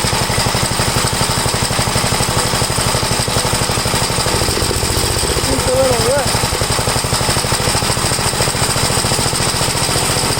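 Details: 1962 Gravely LI garden tractor, warmed up after valve adjustment, compression 45 psi. Rapid single-cylinder popping, slightly uneven in beat, before the carburetor high-side mixture adjustment.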